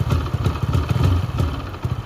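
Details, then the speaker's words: Hero Passion Pro after a full engine rebuild, checked for smoothness and smoke. Even exhaust beat picks up cleanly with throttle, with no knocks or rattles; sounds very different from before the rebuild; healthy. "అంత first వచ్చిన sound కి ఈ sound కి అయితే చాలా అంటే చాలా తేడా ఉంటది. మీరు ఒకసారి సౌండ్ వింటే మీకే అర్థమైపోతది."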